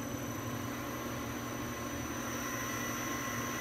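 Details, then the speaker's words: Lathe easing up on new V-belt setup, VFD max 150 Hz, about 1.5:1 motor-to-spindle ratio, motor around 4,500 of 8,000 available; smooth even hum with faint steady whine, no slap or squeal. Normal running. "See how nice and quiet that is?"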